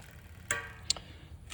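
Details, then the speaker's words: Propane fire pit wind-up gas timer set to 30 minutes, running normally with sharp light clicks about every half second, which shows the timer is on. "and the timer is on. You can hear it clicking whenever it's on."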